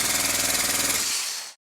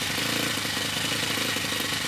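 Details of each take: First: Model four-stroke glow engine after a new piston ring, turned by an electric starter without fuel or carburetor: even rapid compression pulses about twenty a second, winding down cleanly; normal cranking compression, sounds much better than before. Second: Old OS FS60 10cc four-stroke model glow engine before its worn main bearings were replaced: harsh, rattly high buzz in short runs with dropouts, coarse and rough; worn main bearings.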